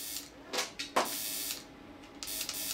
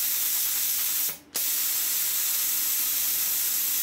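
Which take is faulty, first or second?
first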